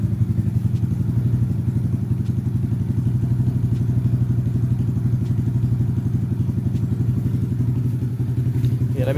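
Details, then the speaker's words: Honda Grom idling after fuel pump priming: crisp, even putter at a steady idle with no knocks or rattles; normal healthy idle. "but let's hear the engine right boy it's a really nice engine"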